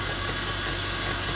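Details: 2002 BMW 325i at idle: constant rough growl from the engine bay, steady pitch, goes away when revving or driving and persists with AC on; stethoscope on idler pulleys inconclusive; power steering fluid was low, topping with ATF didn't fix it.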